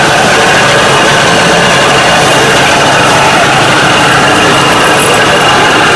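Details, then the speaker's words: 1995 Dodge Ram 1500 with rear raised on jack stands, running in gear: steady growling hum with a thin whine from the rear differential, heard when coasting and louder with speed; suspected worn pinion bearing(s), unconfirmed. "That's what the noise is. The faster you drive, the louder it gets. These Dodge Ram trucks are notorious for their pinion bearings going bad,"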